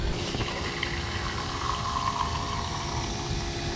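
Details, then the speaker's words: Maddog GY6 scooter (150cc or 50cc) after vacuum fuel pump delete, new Amazon 28gph electric fuel pump on key-on: steady electric whir with faint liquid trickling, no stutter, pumping gas and filling the carburetor float bowl; normal pump operation. "We're going to turn our key on. Boom, pump is spinning. We're sucking gas."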